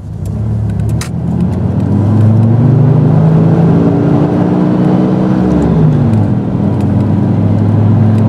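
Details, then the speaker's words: 1996 Dodge Dakota 3.9L V6 driving on the road at 32°F with an aftermarket fan clutch: loud steady fan roar rising and falling with engine speed, never slipping above 3,000–4,000 rpm; clutch locked up, engine running cold. "fan clutches are supposed to slip after you get to about three to four thousand rpms and this one won't"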